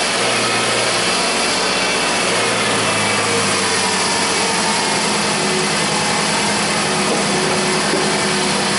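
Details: 2004 Toyota RAV4 2AZ-FE, first run after stripped head bolt Time-Sert repair and coolant refill: steady even idle with smooth low hum, no knocks or misses, nothing leaking. Normal idle.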